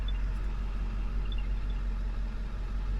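A steady low drone hums from the parked electric car before it starts, with faint chirps over it; the source isn't clear yet.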